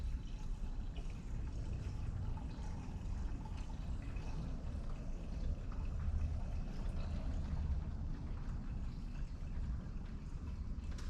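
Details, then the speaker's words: GMC Kodiak, engine off after its temperature rose on the road: a steady splashing pour as added water runs straight back out down the back of the block; the engine needs replacing. Coolant leak. "Okay, see if that's leaking. Oh yeah, she's just a pour out of there. Let's go take a look. Yep, you can hear it down there."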